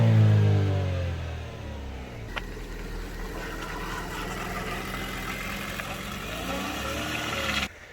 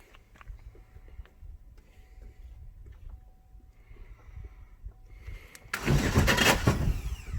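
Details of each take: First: Chevy Sonic LT just after a cold start, revved with some throttle. It climbs cleanly, drops back and settles into an even, steady idle with no knocks or misses. Normal rev and idle. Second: Chevy Sonic after a 10-foot jump, starter relay stuck on: fast, light, uneven cranking with no firing, spinning too freely; suspected internal damage, timing belt found broken.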